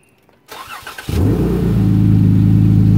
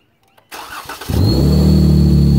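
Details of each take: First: VVT engine fitted with an oil catch can, after the breather on top of the can is plugged: the starter catches and it settles into a steady, even idle. The earlier whistle from the PCV vacuum venting through the breather is gone. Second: VVT engine with an oil catch can fitted with a top breather, PCV side drawing vacuum from the exhaust manifold: cranks and idles with a loud steady high whistle, air through the breather; direction and cause suspected, not confirmed.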